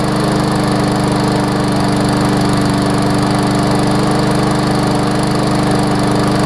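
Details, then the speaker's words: Briggs & Stratton Classic push mower engine running after repair with Seafoam added, spark plug reseated; steady even single-cylinder drone with no labouring, surging or knocking, no longer struggling as it did with tar-like oil; normal running. "it definitely doesn't sound like it's struggling like it was when it had the tar oil in there"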